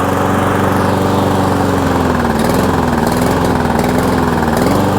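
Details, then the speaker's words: Toro Super Recycler mower on fresh ethanol-free fuel with Seafoam run through it: starts much better than before, but idle keeps sagging and climbing every second or so; still surging, dirty carburetor suspected. "She is starting up really well. A lot better than before, but what do we got? Still surging."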